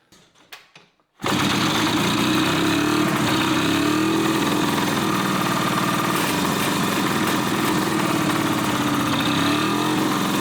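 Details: 1981 Suzuki GT250 X7 two-stroke barn find after full rebuild, first start after air-screw tweak and easy start: rough, uneven pulsing idle, running on one cylinder; carb issue suspected.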